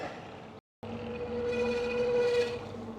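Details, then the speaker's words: Electric trike at pull-off on a group ride: after a short gap, a steady mid-pitched squeal with overtones swells as it moves off; source unclear. "is that me or you that noise come from did you hear it what the heck let's not have a breakdown already"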